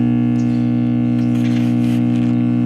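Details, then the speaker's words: 1945 R-100/URR three-band military receiver on a variac at about 60 volts, going a little higher: nothing but a loud, steady low hum with no signal, showing dead filter capacitors; bridging electrolytics later gave good B+ and little hum. "it just appears the filters are totally dead if i go up a little higher it's nothing but hum"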